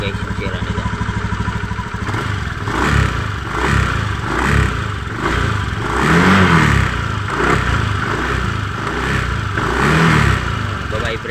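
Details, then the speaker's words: Honda Beat FI v2 scooter, CVT side open, loose metallic clatter swelling with each throttle blip; crankcase bearing confirmed faulty, its ring-like copper bushing spread and loose, hole enlarged, probably from overheating, so the drive shaft wobbles; CVT rattle from loose crankcase bearing. "Syempre maluwag yung parang singsing na tag maingay an mag-vibrate sira dito Crank casein natin confirm itong sira Crank case natin"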